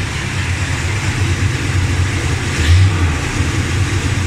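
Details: Dodge Ramcharger V8 after replacing pushrods, rockers and rocker shaft to cure an engine tick; deep even rumble with smooth idle and a light rev, no ticking any more, engine noise problem solved.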